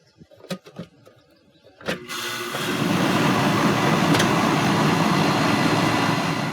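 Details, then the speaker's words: Central air conditioner condenser fan motor after repair: a couple of contactor clicks, then the fan spins up to a steady, even whoosh with no scraping or wobble, running properly. "we'll turn it on and the fan should come on at this point"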